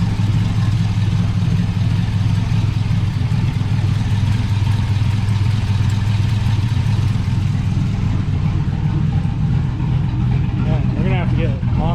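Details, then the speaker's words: GMC Sierra 5.3 LS V8 (stated as 2005 or 2006) idling on first startup after a broken lifter was fixed with a BTR Truck Norris cam and LS7 lifters, no muffler: loud, deep, lumpy low rumble, no valvetrain ticking or knocking; healthy. "moves because that's too quiet even without a muffler. I can't wait to hear what it sounds like without a, or with a tune."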